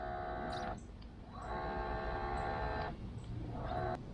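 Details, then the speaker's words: Minn Kota trolling motor after replacement of the steering gear drive unit that turns the motor side to side: short runs of soft, steady hum starting and stopping cleanly, no grinding or clicking; working normally. "So quiet you can hardly hear it. Let's turn it on. All right, it's working. Perfect."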